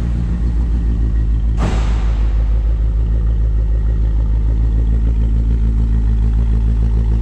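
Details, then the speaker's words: 1957 Chevrolet 210, frame-off restored, 283 V8 with fuel injection, about 16,000 miles since build: deep even exhaust rumble with quick throttle blip, steady firing, not obnoxiously loud; normal exhaust note. "Let you hear that exhaust. Again, not obnoxiously loud, just that nice sound of the late 50s, early 60s that you'd expect in a classic car."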